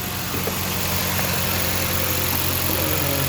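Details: 2013 Jeep Compass that wouldn't start from a short blowing fuse 23 (ASD circuit feeding coils and injectors), running after repair: steady, even idle with smooth low hum, no knocks, misses or surging; normal idle.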